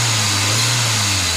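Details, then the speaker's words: VW Vento petrol engine after fixing a jammed fuel injector that caused misfire and check light: steady even low note under throttle with no stumble or skipped beats; misfire totally gone, normal revving. "जैसे कि देख सकते हैं missing पूरा total बंद हो गया, एकदम कंप्लीट हो गया, परफेक्ट हो गया। इसका इंजेक्टर का प्रॉब्लम था, एक इंजेक्टर जाम था।"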